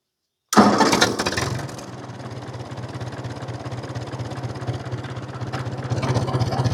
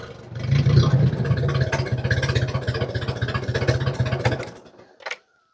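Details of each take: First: 1950 Ford 8N tractor straight four after cleaning filthy spark plugs, in neutral: fires on first crank and settles into a slow, even idle about 300 rpm with no stumbling; normal idle. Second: 1950 Ford 8N tractor straight four with spark plugs about a year and a half old, before plug change; uneven loping idle with the odd dropped pulse; rough running with intermittent misfire, later traced to filthy spark plugs.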